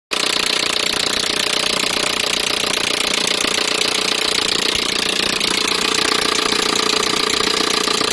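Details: Peugeot 307 1.6 petrol engine running with a sharp, fast metallic rattle of about three to four beats a second riding over it; an engine knock whose cause is not identified.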